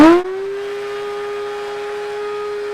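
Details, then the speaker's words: Shop Vac after motor repair and reassembly: thin steady high-pitched whine after a brief start surge, no airflow rush or hum; sounds wrong, with a slight electrical smell persisting; machine being retired, cause unclear. "okay that sounds horrific not what it's supposed to sound like and she still has that ever so slightly funny electrical smell yep still there"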